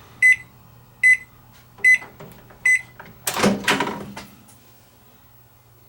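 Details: Panasonic microwave oven after repair, end of a 30-second cycle heating a cup of water: four short even beeps about a second apart, then the door opens; normal end-of-cycle beeps.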